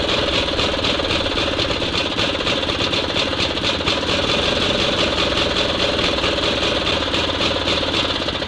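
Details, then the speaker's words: SMZ invalid carriage two-stroke (motorized microcar) after long storage, charging works, gearbox oil still to be added: crisp, buzzy beat holding steady and even with no misses or knocks; normal running. "это жуть Ну всё работает И самое главное что она двигается взад вперёд"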